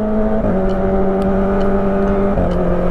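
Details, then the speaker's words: Motorbike ("Melika") in the morning, just after an oil change and a wash; it sputtered the day before the change. Steady, even engine note with a clean tone and one small pitch step, no stumbling or hesitation. Normal running. "enakan banget kan suaranya. Kemarin belum ganti oli enggak enak. Sekarang udah enakan, Guys."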